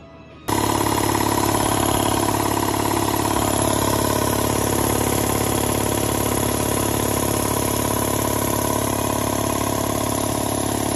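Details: Air compressor with a DIY condenser water separator and automatic drain, filling up during a leak check. A loud motor drone kicks in and holds even, with a smooth pump pulse about three times a second: the compressor is running normally.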